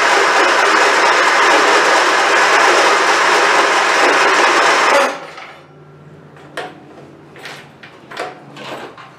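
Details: Craftsman YT4000 hydrostatic riding mower, hood off, hard start it does every time: about five seconds of steady starter cranking that never catches; no fuel found in filter, fuel starvation.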